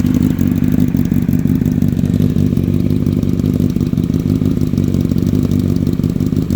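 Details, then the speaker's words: 2006 Honda CBR1000RR inline-four, 17,386 miles, HMF slip-on, K&N filters, idling from a cold start: steady busy burble with light valvetrain clatter, even running, nothing abnormal. "This is a cold start, just to show you. I meant to grab the headers before. This is a cold start."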